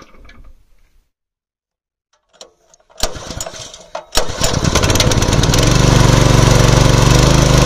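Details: Small petrol water pump engine for farm irrigation, three months in use, pull-started with choke: catches at once and settles into a steady, even fast beat with no misses; healthy running.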